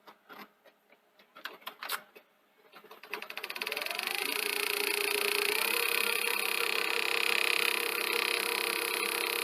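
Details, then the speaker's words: Akai VR-X475EGN multi-standard VHS recorder, low hours, known clutch issue: clicks, then rising high whir during rewind with steady tapping about four per second; knocking, possibly a damaged gear tooth, unconfirmed. "and you can hear it knocking um i mean we know we've got clutch problem as well possibly some sort of touch problem maybe"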